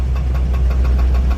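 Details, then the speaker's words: 1948 Ford F5 flatbed with a Mercury 256 flathead V8 (known valve issues), idling: sharp, evenly spaced knock about six times a second. Pushing the clutch in changes nothing, so probably not clutch-related; source unknown. "I really don't know what that is. Sounds like it's somewhere over here, so I'm kind of thinking it's not clutch related, because I pushed the clutch in and it doesn't do anything."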